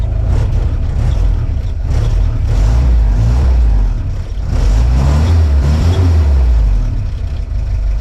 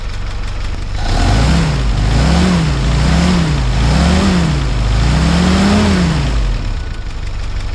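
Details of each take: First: 1955 Willys CJ5 Jeep four-cylinder revved in place just after a brand-new exhaust system was fitted replacing a holed old one: deep exhaust with a brief stumble as revs climb. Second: 1955 Willys CJ5 Jeep, 506 miles since engine rebuild, after gasket and exhaust work, throttle return spring set and idle raised: a low, steady, quiet four-cylinder idle with an even beat; normal idle.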